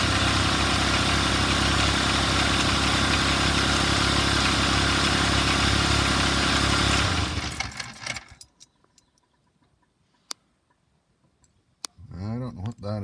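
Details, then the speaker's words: Car right after a temporary alternator repair, battery at about 12.4–12.5 V, engine just started and not yet warm: a fast steady beat of about four per second with a coarse, uneven note before shutting off. Rough idle; cause unclear. "doesn't sound good anyway I'm gonna let it run for a bit and let it charge and see if that voltage drop when the the initial startup comes up any"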